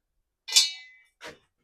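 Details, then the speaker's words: Ford Transit propshaft on inspection: a bright metallic ting then a softer clink as the shaft is pushed. A loose broken piece is rattling inside the propshaft tube, while the centre bearing shows no excessive movement. "there we go what's that it sounds like we've got something inside that tube that's really odd"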